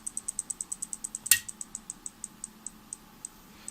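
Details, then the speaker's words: Helper Prestige 160A inverter welder at switch-on, flashing yellow; run of sharp relay clicks that start quick then space out, with no fan spinning; diode D05 (HER207) in the fan supply circuit fell out. "И при этом щелчки, вероятнее всего, идут от реле. Предполагаю, вентилятор не крутят."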